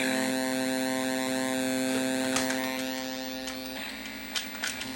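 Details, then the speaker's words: Mortal Kombat 2 arcade PCB sound board: the light is on but there is no test tone or audio, just a constant buzzing hum with scattered crackles and ROM-check pops. A DAC issue was suspected. "that's an issue with the digital to analog converter we did not get a test tone and we don't have any audio"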